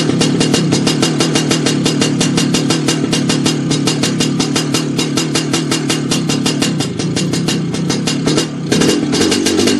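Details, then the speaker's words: Lambretta two-stroke with a failed drive-side crankshaft oil seal, gearbox oil aerated and petrol-tinged: rapid crisp popping with a buzzy high edge, idle creeping up unaided as gearbox oil is lost and false air is drawn in. "well it didn't really clear up exactly but what happened there was uh the revs started to rise by itself and that what that means is that it's uh it's got rid of quite a bit of gearbox oil out of the crankshaft and it's sucking in uh false air"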